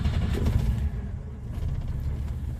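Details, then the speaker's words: 1962 Rambler American 400; light throttle blip brings a deep rough growl rising and settling with engine speed from a worn alternator bearing, heard up front; car likely kept home. "But I can hear that growling bearing noise. Let's see if you can hear it too. It just unnerves me a little bit."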